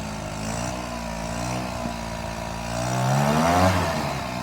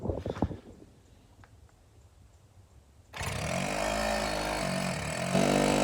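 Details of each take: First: Free secondhand GoPed-style stand-up gas scooter, small two-stroke, first start after fuel lines fed and carburetor primed, with choke: a steady buzz, then a smooth climb on a quick rev and back; it runs and responds fine. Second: GoPed gas stand-up scooter with a small two-stroke engine; spark confirmed at the plug and carb cleaner sprayed in. It catches and buzzes unevenly for about four seconds, then cuts out. Owner suspects the fuel tank or carburetor.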